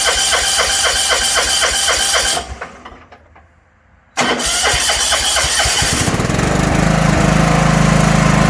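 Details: 1980s John Deere 180 lawn tractor: rhythmic cranking, short pause, then catches and settles into steady even run; has spark and fuel, starts and runs properly.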